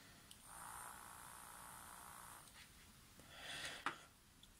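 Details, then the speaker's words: 12 V four-track tape transport motor (Tascam Porta/244 type) powered from a 9 V battery via clip leads, zip tie on shaft: faint thin even whir with handling clicks; motor spins fine, not seized. "so i've got a zip tie cable tie here so you can see motor turn as well as hear it so hear the buzz see the little fan"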